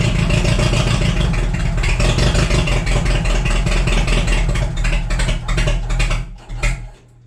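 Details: Cheap $200 forklift after ignition work, distributor cap refitted: loud, uneven low chugging with irregular beats as it runs and then dies down; a cylinder missing, traced to a bad plug.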